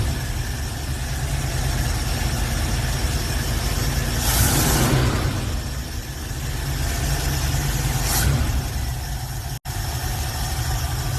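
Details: Older swapped-in V8 in a hot rod idles with a steady low rumble, even firing and a couple of brief blips while the choke is being adjusted: normal idle.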